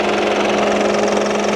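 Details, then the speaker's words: 2012 Mitsubishi Outlander 2.2L 4N14 diesel from auction, clutch in, neutral, idling; steady hum with loud dry constant rattle, owner suspects alternator or drive belt pulleys, fears gearbox or DMF; battery had been flat, 0 volts read: engine rattle at idle. "The big problem is the noise once it is started, because it's pretty loud. Pretty rattly."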